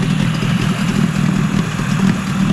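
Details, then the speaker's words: Yamaha 20A two-stroke outboard, about 50 years old, after a full service, in neutral: low, steady burbling idle with no misses or knocks, possibly idling a little high; healthy idle. "but that's a really healthy engine for the age of it now 50 years old so I'll just leave that running for a bit"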